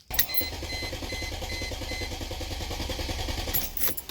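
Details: 2000 Mercedes W210 E320 estate with a no-start: steady starter cranking at about three and a half compressions a second with no firing during a wiggle test on the wiring connector. The fuel pump gets no power; the fuel pump relay is suspected.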